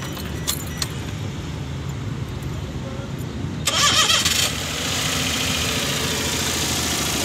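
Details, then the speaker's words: Hijet engine that had check light, misfire, vibration and no pickup, after setting timing marks and repair: starter whirr, catches and settles into an even idle with no stumble; misfire and vibration gone. "गाड़ी start हो गया set हो गई गाड़ी के अंदर जो missing ए रही थी वो भी देख सकता है खत्म हो गई वाइब्रेशन वगैरा"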